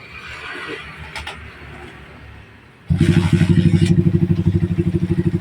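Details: Honda GL Pro Neotech motorcycle that was hard to start cold and hot, started without choke after cleaning: fires in about three seconds and holds a steady, even thump near three beats a second with no throttle; hard starting blamed on leaking valves.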